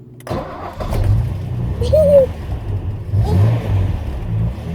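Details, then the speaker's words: 1981 Ford Capri 2.8 Injection V6, 4-speed manual, after a blowing exhaust was repaired with an exhaust bandage: engine catches and revs with a deep, clean V6 burble, no puffing or ticking leaks; normal, sealed exhaust note. "car just sounds much nicer with I think so it's just not making all the noise I think this is a result fantastic"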